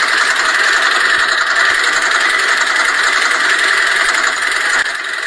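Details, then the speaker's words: Engine idling with a loud, busy metallic rattle from the timing chain and VVT variable timing gear; camshaft position solenoid checked and working normally. "就是这种哗啦哗啦的异响声，仔细听，这个声音就是从这个位置传出来的。那么我们就把毛病直接锁定为这台车的正时链条与发动机的 VVT 可变正时轮传出来的哗啦哗啦的异响声。"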